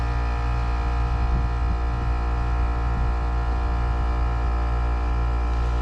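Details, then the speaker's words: Heat pump outdoor unit, fan disconnected, cycling through defrost: heavy steady low hum with buzzing edge, compressor sounding rough and loud; total draw 11.5 A, compressor about 10.3 A; suspected failing compressor, to be replaced. "That didn't sound right either. That compressor sounds a little bit rough."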